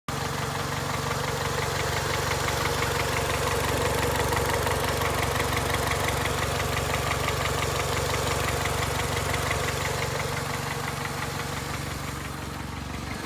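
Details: 2002 Honda Accord, 260,000 miles, rough idle with a steady even knock about three per second under a low hum; owner unsure whether it needs a valve adjustment or has rod knock.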